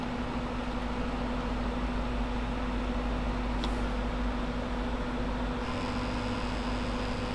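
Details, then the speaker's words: About two-year-old sleeve-bearing computer fans on a radiator, run 24/7: steady whir with low buzzing hum and rough rattle from a dry bearing, one rattling so badly it barely turns fast. "this one here is not rattling neither is that one but this one back there is rattling so bad that it can barely turn fast"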